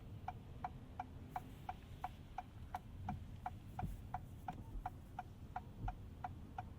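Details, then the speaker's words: 2026 Acura MDX Type S driving in rain: sharp, regular clicking about three times a second from the rear wiper motor over road hum; unusually noisy, cause unknown. "Very noisy rear wiper. Listen to that. Hear that? Oh, that just sounds like the saddest wiper motor ever."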